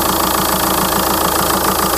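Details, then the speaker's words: 2004 VW Touran 2.0 TDI 136 hp AZV diesel, after replacing leaking tandem pump that let fuel system lose prime: steady idle clatter, stable speed, no hunting or abnormal vibration; normal idle. "ralenti plus du tout d' F le régime est stable il y a pas de vibration anormale voyez la différence"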